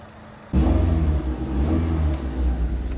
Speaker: This thing seems pretty healthy. Maybe we'll give it an oil change soon.